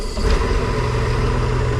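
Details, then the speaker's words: MerCruiser 4.3 marine engine on water muffs, running Seafoam-treated fuel; low, uneven, lumpy idle that struggles and cuts out, then smooths after revving; owner suspects a failing fuel pump or dirty carburetor; rough idle. "but before then it'll sit here and struggle like this so I'm wondering if it's the fuel pump going on"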